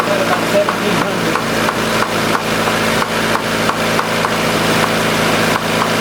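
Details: 1990 Honda CRX DX steady fast idle around 1750 rpm with light irregular ticking on top; suspected vacuum leak, hiss heard near the brake booster, causing the high idle and poor gas mileage.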